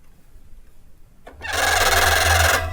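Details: Bicycle disc brake applied gives a loud, shrill squeal of just over a second, caused by slip-stick vibration; recorded for acoustic camera analysis.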